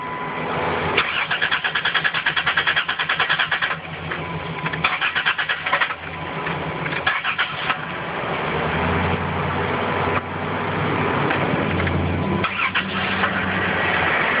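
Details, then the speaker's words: Car engine with no fault codes, gas pumped before cranking; it had started the day before. A long uneven crank, then the engine fires and catches briefly before stalling; it sounds different, and the owner doesn't think it is a dead battery. Cause unclear. "it's on and it's off now it sounds different i don't think it's dead battery but it sounds"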